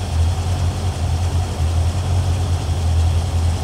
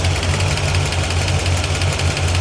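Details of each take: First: 1981 Corvette V8 started after a water pump job, a second valve adjustment and an antifreeze refill: deep, steady, smooth idle with no ticking or knocking. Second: 1981 Corvette V8 after water pump work, temperature gauge above 200 and climbing: steady idle with a light regular tick of about eight per second from one bank; owner suspects a valve tick on the side previously found very loose.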